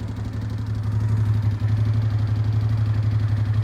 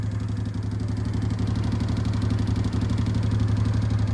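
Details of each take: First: 2005 Honda Deauville NT650V, 75,000 miles, idling with fuel cut off to test fuel pump: pump ticking speeds to maximum, idle pulses erratically and misfires as fuel runs short, confirming pump works; cooling fan then cycles. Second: 2005 Honda Deauville NT650V, 75,000 miles, twin idling with the fuel cut off: rapid, even pump ticking of about four a second as the pump runs at maximum flow; idle turns erratic then misfires; normal pump response.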